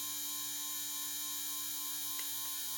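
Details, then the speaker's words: Custom 2150 kV RC brushless motor about two to three runs after a bearing replacement: steady smooth whine with an even hum, no popping or gritty crackle, much quieter; popping indicates grit and dust in the bearings. "way more quieter you're not hearing the popping that popping noise is actually grit and dust inside the bearings"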